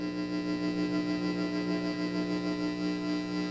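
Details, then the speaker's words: Fender 68 Custom guitar amp, previously no sound, after tube heater grid issue fixed and speaker reconnected at low volume; steady hum and tone pulse evenly about three times a second with tremolo speed adjusting, no crackle: power amp working. "Oh, yeah. Look, I can adjust the speed. That's kind of cool. So, we have a power amp now."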